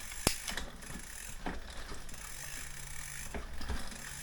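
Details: Aventon Level 2 e-bike with a new waxed chain and master link fitted, cranks turned by hand after changing gear. Light freewheel ticking and a few chain clicks, no grinding or skipping; the drivetrain runs normally.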